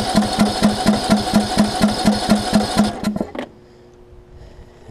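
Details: John Deere LA105 riding mower that sat three years, with a new starter solenoid, spark present, starter fluid added and watery fuel suspected: steady cranking at about two turns a second, never catches, then stops; no start.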